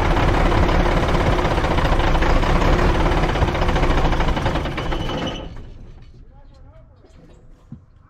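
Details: Dump truck diesel: heavy clatter pulsing about four times a second, then fades out within seconds as engine dies; fires and quickly dies, owner suspects fuel supply, bad lift pump.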